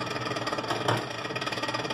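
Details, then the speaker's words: Continental RFCT455 duplex frost-free refrigerator, recorded close to the evaporator fan: fast rhythmic ticking scrape over steady motor whir as fan blade hits accumulated ice; control board not running defrost, fixed by resoldering cold joints and cleaning relay contacts. "na verdade está vindo desse gelo aqui ó ó ó ah tá acumulando gelo aqui e tá raspando"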